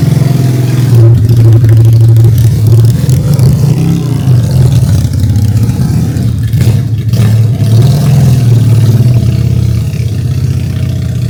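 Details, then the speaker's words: Honda Steed 400 chopper, custom build running its stock exhaust, first start after a five-day build: deep, loud, even twin exhaust rumble with steady low throb and light revs, no knocks or rattles; sounds solid, normal running. "Aman, suara mantap Jon ya? Suaranya sih mantep."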